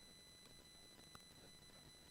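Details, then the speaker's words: Rode VideoMic Go on a Canon SL2 camera, with Wi-Fi and Bluetooth switched off: constant faint hiss with a thin steady high whine over near silence; unexplained electrical noise from the microphone setup, no fix found. "I turned everything off but there's still this kind of hissing something it's kind of set it's really weird to do annoying"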